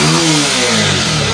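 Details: Bajaj Pulsar 150 after the misfiring (missing) problem was fixed, coil part shown: engine climbs smoothly in pitch on a quick rev, clean and even without stumble or misfire.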